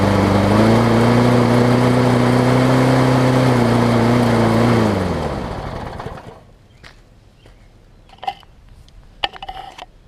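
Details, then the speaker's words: John Deere JS63C mower, before flywheel key replacement, on fresh gas: the engine runs fast and high with a slightly unsteady edge, then winds down and dies. It is rough from a partly sheared flywheel key plus a rich mixture; the owner thinks it may need carburetor cleaner. "it did start up so learn a little bit rough it might need carburetor cleaner or it might simply just need to be run but there's running fast so I think that something has been desolate"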